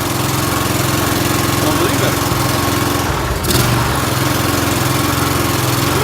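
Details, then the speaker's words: Briggs & Stratton mower engine after carburetor cleaning fires up and holds a steady, even beat at constant speed with no surging or stumbling; acting-up issue fixed, running properly. "it works it fixed it so I didn't just clean up a little bit"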